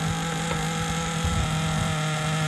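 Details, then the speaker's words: Traxxas Nitro 4-Tec 2.5 RC car, clean nitro engine, high-speed needle reset to 4 turns, 25% nitro fuel: steady, even buzz at one pitch, no misses; runs well though carburetor later found sticky and gummy. "is the best running RC car so far."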